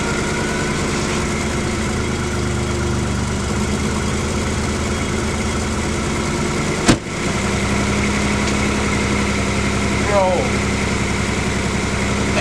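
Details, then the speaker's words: BMW E30 first start after years of sitting, weak battery, clutch parts pending: lumpy, uneven idle with a shaky low pulse and no steady beat; engine runs really rough, so it was shut off. "I turned it off because it sounds really bad it sounds really rough"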